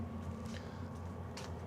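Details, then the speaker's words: BougeRV diesel heater newly installed for truck-bed camping, first run: quiet, steady low hum with a faint fan tone and a few handling rustles; warm air coming out inside and from the muffler, running normally. "So you can kind of hear it running. It's pretty quiet."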